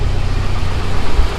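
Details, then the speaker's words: Volvo 745T after the turbo and exhaust manifold install: a deep, steady idle at 900 rpm holding level without hunting or misses, idling perfectly. "it runs absolutely amazing check out those rpms 900 rpm that's that's right where this car should be idle's perfect"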